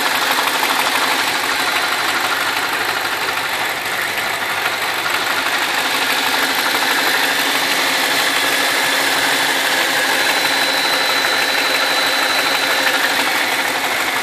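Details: BMW 645ci with the N62 V8: even, fast metallic ticking about three per second over a smooth idle; owner suspects the timing chain on the right cylinder bank, right under the oil filler cap, unconfirmed.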